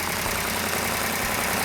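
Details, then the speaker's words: Freshly built 440 Super Commando V8 in a 1967 Plymouth GTX on its first start: a loud, even roar with no knocks or misfires and no smoke yet. The valvetrain is slightly noisy, normal for a new engine. The choke was slamming shut and needs adjusting. Normal idle. "Sounds good, right off the bat."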